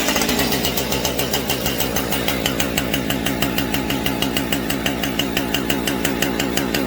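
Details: Husqvarna 550XP Mark 2 chainsaw just after a gas tank swap, possibly seeping slightly at the fuel line: a fast, steady, buzzing two-stroke idle with even firing and a crisp rasp. It runs fine.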